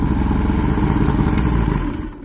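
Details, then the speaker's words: Johnson J150 outboard, after swapping coil packs fixed the key not stopping it. Low steady rumble, then the motor dies within half a second when the safety lanyard stop is pulled; the kill circuit works. "it kills the motor and that's one of the things that I'm pretty big on"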